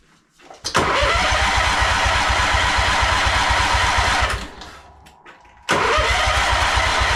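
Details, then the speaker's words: John Deere Scotts 20/48 lawn tractor cranked on a jump pack: steady starter churning, pause, more cranking with no firing; it fired only with spray straight into the carb, fuel line dry and no fuel reaching it, fuel pump suspected; no-start from fuel starvation. "OH, NOT EVEN FIRING OFF NOW. OKAY. SO, fired off when I put spray like right into the carb."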